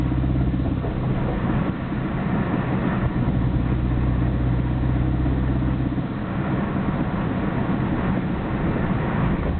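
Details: Nissan Skyline GT-R BNR34 with stock Getrag manual gearbox and Nismo clutch at idle: loose gravelly rattle over steady idle rumble, abnormally loud, lags before stopping when clutch pressed; 1st and 6th rattle driving, shifts fine, oil change didn't help; cause unknown, overhaul considered.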